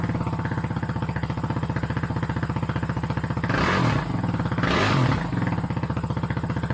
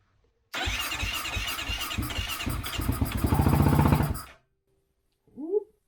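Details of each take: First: 2008 Kawasaki KFX450R sport quad, sat unused and would not start, running on its original fuel injector: loud, even single-cylinder thump at fast idle, two throttle blips, settling smoothly; exhaust baffle tampered with, may need repacking. Normal running. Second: 2008 Kawasaki KFX450R that sat unused, gasoline with 2-stroke oil primed into the cylinder: starter churns a few seconds, engine catches and fires evenly briefly, then dies; compression fine, fuel delivery (fuel pump) suspected faulty.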